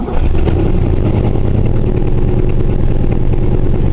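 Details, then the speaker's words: Oldsmobile V8, cold (cold light on), not running on all eight at times: lumpy running with an uneven puffing pop over the exhaust beat, from an exhaust leak plus a rough valve, believed cylinder 7, rear of one head. "you can hear that kind of that um popping noise that's a combination of an exhaust leak and that that valve is running a bit rough on I believe cylinder number 7even"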